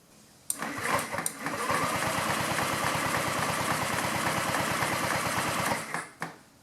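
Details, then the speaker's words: 2009 Honda Metropolitan scooter with owner-installed new carburetor, fuel hose off at carb: starter cranks with even chuffing for about five seconds, never fires; air pulses through but no fuel arrives, clog suspected, possibly fuel filter. "We got nothing coming through. I can feel air pulsating through there. So that means we must have a clog,"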